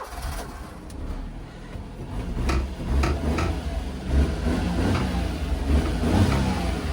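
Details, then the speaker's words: Orange Daihatsu Midget, five-speed manual (transmission swapped), restarted and revved: small engine blipped a few times, revs rising and falling cleanly without knocks or rattles; sounds good. "Sounds good, too."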